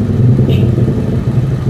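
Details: 2014 Honda Beat FI scooter that was hard to start and using too much fuel, after an injection service with idle adjusted by scanner to injector value 2. Steady, even low putter with no misses or knocks; normal, stable idle.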